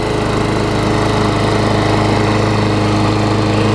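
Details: Craftsman self-propelled mower with a Tecumseh engine, carb swapped and serviced: steady, even single-cylinder buzz at constant speed with no misses or surging; runs clean and healthy.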